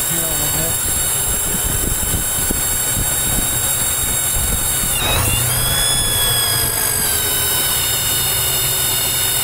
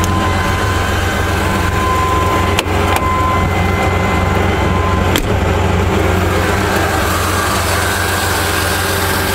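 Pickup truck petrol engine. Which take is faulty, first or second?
first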